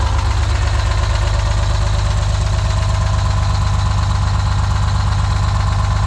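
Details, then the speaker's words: 1971 GMC 9500 with Detroit Diesel 6-71 two-stroke, started after 26 years, after a tune-up late at night: deep, steady, even diesel idle with no knocks or misses; running healthy, purring. "so late at night tune-up's gone uh it sounds good it's purring good"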